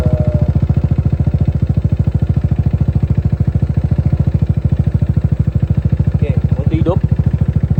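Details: Motorcycle after repair, idling: even, rapid putter with steady beat and no clatter or knock; it had come in making a rattling "kerang-kerang" noise, now sounds smooth with no problem.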